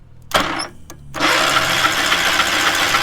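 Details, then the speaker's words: Small engine on a free trailer-mounted cherry picker man lift, kill wire cut, carburetor thought junk: cranking clicks, then it catches briefly into a rough uneven buzzing run; has spark and seems to have decent compression. "I can't believe it's got spark. They don't build them like they used to. It actually sounds like it's got decent compression."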